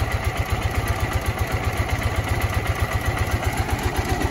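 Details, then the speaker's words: New Ural twin-cylinder motorcycle idling with low, even thumping about four beats a second, running well; owner notes it is slightly noisier than the other, with gear noise in the gearbox and ticking valves. "В принципе, работает неплохо, хорошо работает."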